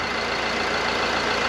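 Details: Short stretch of Mercedes Sprinter van diesel idling evenly with no surging or hunting, after fitting two new vacuum control valves and checking them with a vacuum gauge; normal diesel idle.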